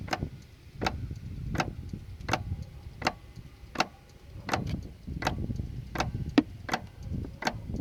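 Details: 2006 Dodge 3500 won't start after batteries went dead, same after a jump: sharp, even clicks at about one and a third per second over a low rumble with no engine firing; clicking on no-start, cause unclear.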